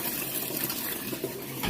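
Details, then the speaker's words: Used Amana washer (Whirlpool-built, electric) on extra large load setting: steady rush and splash of water filling the tub with no hum or chatter from the valve; normal water fill. "See, we'll put it on extra large load. See, it's bringing the water in just fine."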